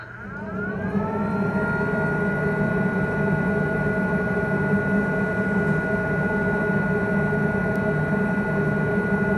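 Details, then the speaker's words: Snapmaker 2.0 filtration system fan tested at low, medium and high speeds: steady airy rush with clear whine climbing as it spins up then holding even; loud by design. Normal filtration fan running at speed. "that's the purpose of the fan is to really pull a lot of air into and through that filtration system"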